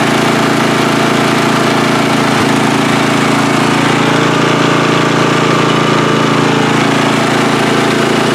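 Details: Free riding mower, engine test after gas tank was drained and fuel added; it was flooding and backfire was feared before starting. Loud, steady small-engine drone, even beat about four per second, holding speed without surging or misses: normal running.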